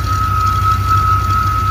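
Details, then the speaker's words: Chevy K1500 350 throttle-body-injected, AutoZone reman engine with 6,000 miles, good oil pressure, sat almost a year: constant high squeal over even idle, unchanged in or out of gear, from engine front; owner fears bottom-end bearing; engine squeak. "it sounds like it's coming from the front side of the engine"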